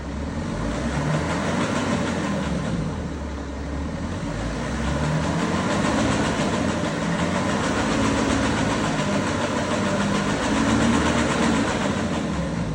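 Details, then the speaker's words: 2011 BMW 335d xDrive diesel with a busy metallic chatter, about three or four beats a second, over its running: timing chain rattle per mechanic, rocker cover and injectors to be removed for an estimate. "So, I'm going to I told them it's chain definitely, but I'm going to open rocker cover, take injector out, everything to give him um estimate how much going to cost him."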